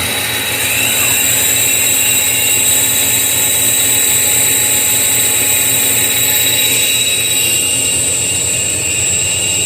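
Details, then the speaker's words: Iveco alternator on the bench, belt removed; steady high whine that shifts partway through as the rotor stops while the overrunning pulley keeps spinning; slipping overrunning pulley, bearings seem good, fix is replacing the pulley. "O rotor parou e a polia continuou rodando, né? Então, eu já tô com a polia nova aqui, ó. Vou trocar, tá certo? E é esse o defeito do alternador, nada mais."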